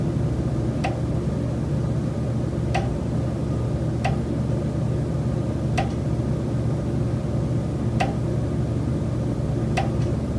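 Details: Rented Chicago condo: sharp single knocks every 1.5–2 seconds over a steady room hum, heard three and a half months into the lease. The tenant says the noise comes from the building's common elements; exact source unknown.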